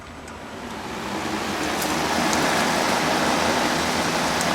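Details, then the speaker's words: Repaired electric fan with the speed control bypassed, now one speed on straight power: steady even rush of air with no rattle or pitch change, and the motor did not get hot after five minutes. Normal running. "i ran it for about five minutes it didn't get hot or anything"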